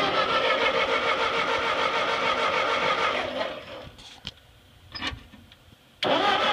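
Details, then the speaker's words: Ford 8N tractor that sat 4–5 years, on a swapped battery with reversed terminals, cranking faster with a squirt of carb cleaner: steady cranking with brief attempts to fire, then quiet. Cranks but won't start; the tank needs gas. "I heard it trying to Fire and uh let's put some gas in this thing and see what it does"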